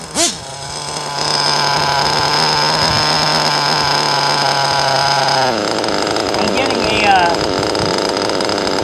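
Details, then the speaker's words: Teckno NT48.3 nitro RC buggy with Nova engine, being leaned: high steady scream whose note drops and wavers; sounds still lean after adjustment, though owner later thinks it may still be rich. "173 cuz I sounds like it's still lien"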